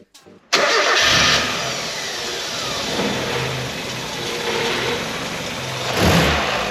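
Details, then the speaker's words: 1994 Mazda Eunos Roadster after fresh rocker cover gasket, new spark plugs and ignition leads: cranks, catches quickly, flares briefly, then holds steady idle around 600 rpm where before it floated 300-600 and tried to stall; normal idle. "She's idling steady now. Before, when she'd idle, she would she would float between what, 300 and 600 rpm, but she's sitting steady at six now."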